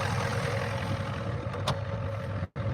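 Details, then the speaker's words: Ford diesel, started with ether because glow plugs don't work, running on a borrowed battery: steady, even diesel clatter at settled idle with firm low rumble, no knocks or misses; healthy normal idle. "yes she sounds very healthy gold pugs don't work though we had a I hated to do it we had to use some ether"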